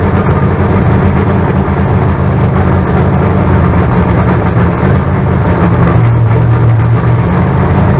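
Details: Fresh carbureted 388 small-block Chevy (heads and intake reused from the owner's troubled 406, crew-cab Chevelle) on break-in run: deep, steady V8 rumble at even idle, no knocks, ticks or misses; solid oil pressure, about 80 psi. Normal.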